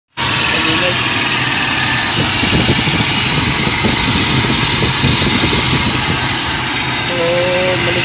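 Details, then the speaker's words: Toyota Revo, engine idling: constant harsh, gritty grinding from the belt drive; loose, wobbling tensioner pulley with noisy failed bearing, replaced. "so malikot yung ano yanay guys malawag Yung kanyang puli saka yung bearing ng maingay"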